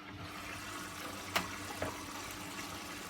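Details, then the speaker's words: Washing machine on a 90-degree cycle with a dishwasher tablet and old rags, now moved from pre-wash to main wash: soft steady trickle and hiss of water with light clicks; normal water fill. "Now it's on the main wash, so it'll draw in some water."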